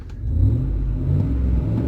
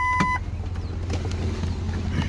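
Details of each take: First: 2005 Ford F150 with a new remanufactured 5.4L engine, replaced after a broken timing chain, about 18 hours in, catalytic converter off awaiting the muffler shop: deep, throaty V8 rumble rising with revs, much louder than stock, MagnaFlow-like; loud open exhaust. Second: 2005 Ford F150 with new remanufactured Powertrain Products 5.4 L V8, replacing Triton engine that broke its timing chain, day 1, catalytic converter not yet fitted: smooth, even low idle, no Triton ticking — normal idle.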